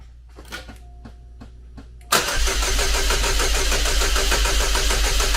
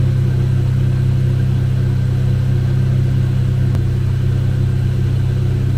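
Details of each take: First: Chevrolet Cobalt SS (LSJ supercharged engine, supercharger just reinstalled on old gasket) no-start traced to very low battery: weak clicks and faint whirs on a jumper pack, then it catches abruptly into a fast, busy idle, run only briefly. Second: Chevy Cobalt SS (LSJ) with supercharger refitted on the old gasket, pending rebuild, after reassembly: smooth, steady low hum with even pulse, no misses or knocks, running good; intermittent hard-start issue remains elsewhere.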